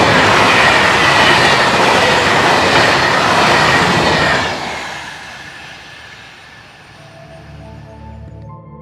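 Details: Train rolling past in autumn with a steady rhythmic clatter, about two beats a second, fading away: wheel flats from over-braking that locked a wheelset on slippery rails; disc-braked vehicles are most affected.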